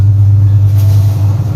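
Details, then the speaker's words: Top-loading automatic washing machine, about 5–6 years old, after replacing all four suspension rods that caused tub banging: smooth steady low hum through the spin test with two towels, no thumping against the cabinet; balanced normal spin. "是不是？现在这个就修好了，你自己动手省了120多块钱，对不对？"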